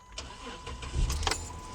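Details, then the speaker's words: Dodge Magnum 3.5 (timing-belt engine) starting after fuel-pump no-start diagnosis, with temporary wiring, key primed 2 seconds. Short crank catches and settles into a steady low rumble, no misses or knocks: normal engine start. "yes. Yes, y'all hear that? Ladies and gentlemen, it is running, okay? This is 3.5, guys."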